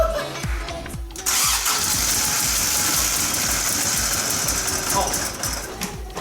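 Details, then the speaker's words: Toyota AE86, first start after ignition coil replacement and harness check, distributor timing being adjusted by jumping teeth: catches and runs uneven, lumpy, stumbling over loud hiss; misfire on some cylinders suspected. "It kind of ran. That's the most progress we've made in terms of it running the whole time we've had it."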